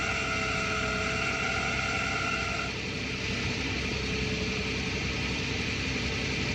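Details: 2009 Toyota Tacoma 4.0 1GR-FE at idle: a steady, shrill high whistle that drops out after about three seconds while a fainter tone lingers; intermittent for a year and worsening, mainly when cold, gone with rpm; water pump, alternator (new) and power steering pump resonate equally.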